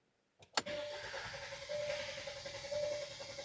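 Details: 2016 Hyundai Sonata 2.0L turbo with shaking/misfire complaint after new spark plugs and a coil: steady starter drone with an even cranking rhythm during a relative compression test, no uneven beats; healthy, equal compression.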